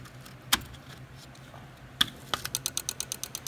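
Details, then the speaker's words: 2004 Mazda RX-8 manual with a starter relay problem (PCM not powering the relay). Plugging in the ABS sets off a couple of sharp clicks, then fast even clicking about five per second from the EGI relay; a short somewhere is suspected. Rapid relay clicking. "it is clicking the relay here which is actually the egi relay so there's a short somewhere in that AB"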